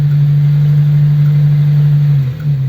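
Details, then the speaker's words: Old Ford 100E petrol engine idling after its stuck clutch was freed by lurching on the starter: steady, even low hum holding pitch, one brief dip near the end; idling smoothly. "and then suddenly the engine fired and it it it was running just like this"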